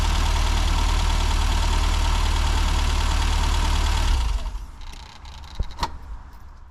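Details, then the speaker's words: 1998 Japanese-import Classic Mini with air conditioning, not sure if MPI or SPI: steady, even idle with a smooth low thrum for about four seconds before fading. The engine sounds healthy and great. "We're going to hear the engine. Brilliant. You don't get modern engines sounding like that. Sounds great."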